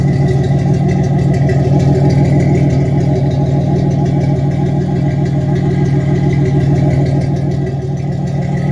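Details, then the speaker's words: 1987 Chevy Celebrity Eurosport, warm, charging and temperature good, no vacuum leaks found though it cuts out at half or full throttle: smooth, even idle at about 800-900 rpm with a steady low exhaust beat, no knocks or misses; healthy idle. "Idling at around 800, 900 RPM. Charging great. Temperature's good."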